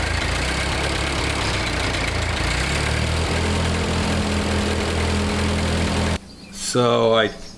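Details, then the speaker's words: Ford 8N tractor with gravity-fed fuel, after replacing a plugged inline fuel filter at the carburetor and resealing a cross-threaded fitting with Teflon tape: low, steady putter idling evenly for several seconds, then a brief rising squeal nearby. "started the tractor up and started up right away and i i let it run for you know like maybe 10 minutes or something and it kept running"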